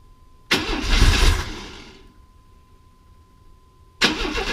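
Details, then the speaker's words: Chevy S10 Blazer, same engine as a 2001 S10, after spider injector replacement. Two bursts of cranking never catch; the number one cylinder shows compression, and the fuel pump only runs for a second. Relay or wiring suspected, unconfirmed. Crank no-start. "no that pump's only kicking on for a second I have I can hear it up here"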